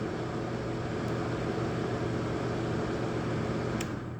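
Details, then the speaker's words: Lasko 1500 W electric fan heater on plug-in thermostat (heat mode, auto, setpoint normally 23 °C); thermostat turned down, unit switches off near 22: steady fan rush over low hum, then sound dropping away as thermostat cuts heater off normally. "22, it turns off. That's cool. That is really, really cool."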